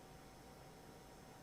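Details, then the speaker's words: Prebuilt gaming PC with Intel i9-13900KF and NVIDIA RTX 4090: steady electrical buzz over fan hiss, graphics card coil whine. "If you can hear the buzzing sound, this is the coil whine for this build."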